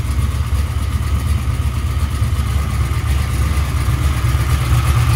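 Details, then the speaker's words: LT1 383 V8 (1996 LT1, Holley Terminator X EFI) on a test stand with open headers, no exhaust: loud, raw, even lopey idle with no knocks or misses; occasional exhaust pops and uneven header temperatures noted. "this is what an engine sounds like all engine no exhaust"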